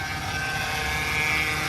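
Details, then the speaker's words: 2008 Mercedes C300 with stiff steering, after topping up power steering fluid: a steady high-pitched whine over the idle, with a vibrating "chicken" noise near the reservoir. The power steering pump is suspected, possibly the rack. "coming from from here in reservoir coming down there down here. Now, as you kind of as you kind of go closer to it, you kind of hear the chicken the chicken noise. So, like a chicken noise, like a vibrating noise down here."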